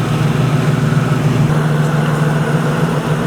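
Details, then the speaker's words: Cobra after cooling-system mods to fix overheating, system burped and topped off: deep, steady idle with an even beat and no misses, knocks or hiss; no leaks, no overheating, performing as it should. "We have no leaks whatsoever. The engine sounds good. Not only does it sound good, but it's performing the way it should."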